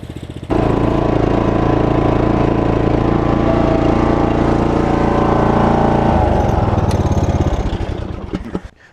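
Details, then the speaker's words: Bad Boy Rambler mower, under a year old, about 23 hours, troubled since a few months after purchase: loud single-cylinder running with uneven lumpy beat and wavering pitch, then dies away; rough running, cause unknown. "And um I don't know if you guys can hear it or not, but it sounds like dog [ __ ]"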